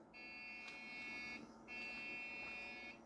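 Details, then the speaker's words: Dell Optiplex 170L at first power-on, no amber LED: two long shrill beeps of about 1.2 seconds each, thought to be the memory-problem beep code; suspected, not confirmed. "Don't have an amber LED. That sounds like the beep code for a memory problem."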